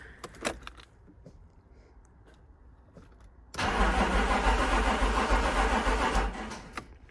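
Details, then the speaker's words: 1992 BMW 3 Series E36, about 31 years old: steady, even cranking at about three and a half beats a second that never catches or fires; no start because the fuel pump stopped working and needs replacing. "In this video I have my E36 here, and it's decided that it's not going to start. So basically what it's doing is just"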